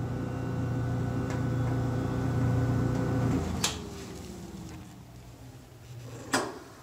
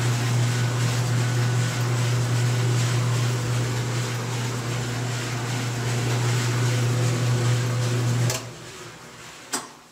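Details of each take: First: GE dryer that shuts off after pressing start, run with door switch held in: steady motor hum with no drum tumbling, then the motor winds down with a couple of clicks; broken drum belt. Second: GE dryer that shut off after pressing start, after repair and reassembly: steady low hum with an even drum rumble for about eight seconds, then the motor stops; runs smoothly and sounds healthy.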